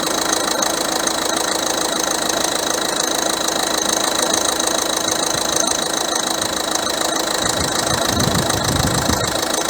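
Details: Citroen C4 1.6 HDi diesel idling, with its damaged upper belt tensioner being replaced with a new tensioner and belt. A steady, even diesel clatter with no squeal, chirp or rumble from the belt side; some bearing noise is suspected, but it idles normally.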